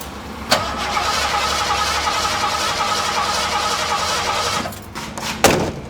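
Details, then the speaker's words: 1986 Ford F-150, well-maintained original truck; starter spins engine evenly about four seconds but it never fires; fuel confirmed present, no spark from faulty ignition system. Crank, no start. "so we definitely don't have any spark got plenty of fuel I've already checked that"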